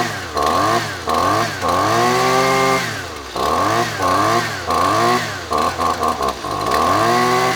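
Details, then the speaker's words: Husqvarna two-stroke trimmer with the RCJ spark plug it came with: revs rise and fall cleanly off the throttle with no stumble or misfire; normal running. "runs just fine runs the way that it should that is the spark plug that actually like i said came in the equipment"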